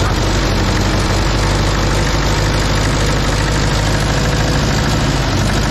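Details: Case 188D diesel engine in a Case backhoe tractor, first fire-up after a year-long rebuild, injector pump refitted, throttle worked by hand: steady, even low diesel idle clatter with no knocks, misses or hunting; normal idle.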